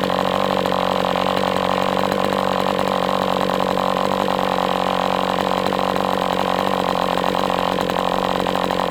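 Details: MDS 68 FS Pro four-stroke glow engine on break-in stand, after carb retuning (idle screw had been tampered with), idle bar plug removed; steady even buzz at constant speed, no misses, surging or sag; normal running.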